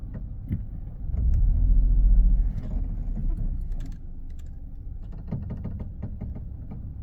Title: Ford B-max creaking sound